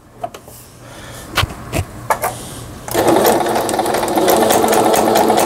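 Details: Singer 6160 household sewing machine after repair: a few light taps, then a steady even whir with quick regular stitch ticks, about 200 a minute; the machine sews smoothly and healthily.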